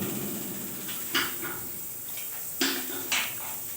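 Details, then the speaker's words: Gas water heater: a few sharp igniter ticks but no heavy valve clack or burner roar, temperature only about 26 °C; solenoid valve not opening, suspected weak battery, faulty solenoid or weak control module; igniter clicking without gas valve opening. "Nah, ini bunyi titik-titik, ini bunyi pemantik api. Tapi tidak ada bunyi katup. Nah, harusnya kan bunyinya 2 kali."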